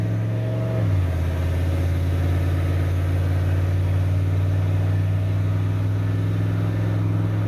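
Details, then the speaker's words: 1988 Ford OBS truck, warmed up and driving, no overdrive, slight slip into third: steady smooth drone, pitch dropping cleanly through a shift, no misses, pops or skips; normal running. "Overall running way better than it was last night. No missing, no skipping, popping, anything like that."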